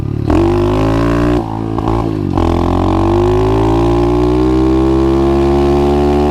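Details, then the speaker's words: 125cc pit bike with new 26mm Nibbi carburetor after jet and adjustment changes: small revs with rising buzz, drops back and keeps running without bogging or dying at slowdown; normal running. "So, as you guys can tell, it's not dying, which normally I have that problem with my carburetor. I come to a stop or I slow down and it dies right away."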